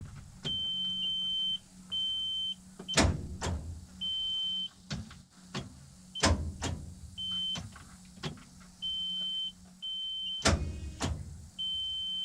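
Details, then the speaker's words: R72 that won't start despite a fully charged battery: sharp single clicks each time the key is turned, no cranking, with a chime beeping; starter solenoid clicking, starter or solenoid suspected, not confirmed. "clicking. That starter solenoid's clicking. Surely the motor ain't stuck."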